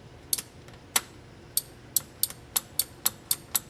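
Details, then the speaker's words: 1969–1976 Corvette wiper motor bench test with the blue wire on the two-three connector pulled: sharp dry relay clicks, about three a second, with no motor hum; the relay works but the motor never runs, pointing to the blue wire. "so when you're turning your wipers on in the car and you hear that clicking noise there's a good chance you've got a problem with the uh blue wire now that clicking noise means the relay is probably working"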